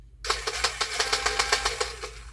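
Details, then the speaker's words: Power Wheels ride-on toy motor and gearbox bench-tested after burnt-plastic smell: motor spins up with sharp regular pops about seven a second in step with rotation; owner thinks the motor is fine and the plastic gear is broken. "this should not be popping like that yeah that should not be popping like that I don't think it's the motor I think it's the plastic"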